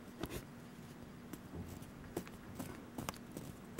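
Dry, uneven ticks and scratchy catches as the hand-spun bearing coasts down: rust inside has roughened the balls and races.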